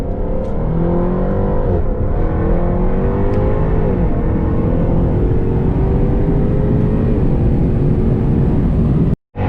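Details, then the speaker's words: 2015 Jaguar F-Type R, rear-wheel drive, 550 hp supercharged V8: deep exhaust pulling up through the revs with smooth pitch climbs, drops at each shift and a crisp cutoff; healthy, strong exhaust note. "I cannot make an f-type video without mentioning of course my favorite thing that would be the exhaust sound check it out"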